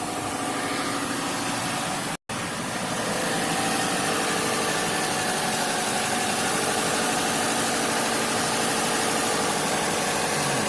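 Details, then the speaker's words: 2005 Subaru WRX wagon after replacing both valve cover gaskets and spark plugs: smooth even idle with steady low hum, no misses, ticks or knocks; engine running healthy. "Check the leaks. Engine's idling good."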